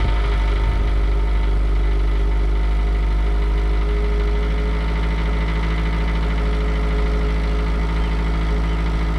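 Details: 2009 Subaru Outback with new stainless cat-back exhaust, third cold start after ECM reset via battery disconnect: smooth, even, deep idle with steady low burble, no knocks or misses; settles down and quietens faster, healthy.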